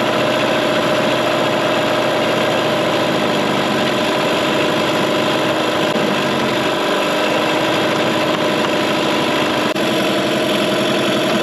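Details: 2003 Mercury 15 hp two-stroke electric-start outboard in a test tank during first startup after restoration: earlier backfiring gone; steady even idle with constant pitch, no pops or misses; owner suspects a vacuum leak; normal idle.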